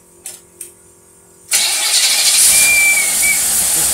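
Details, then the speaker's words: Rochester two-barrel "big mouth" carburetor tested on a running engine: catches after a couple of clicks, then runs rough and unsteady without clean pickup; accelerator pump gives zero squirt, carburetor judged bad. "Okay, we have zero pump. The accelerator pump is not working."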